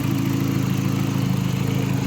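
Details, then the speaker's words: VW Mk4 after battery relocation to trunk: low, lumpy idle with a slightly uneven beat, no clear knock; owner attributes the rough running to a vacuum leak still present. "the car stars is gonna run like crab right now because I still got a food I have a vacuum leak there"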